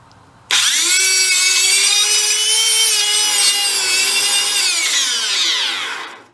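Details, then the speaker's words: Discarded Hoover Elite carpet cleaner motor with smoke coming out, high shrill scream that climbs, holds and sags before cutting out with a rough edge; bearing seal seen burning out; failed motor bearing causing overheating. "that's actually that's the seal out of the bearing isn't it yeah that's that puking out of it"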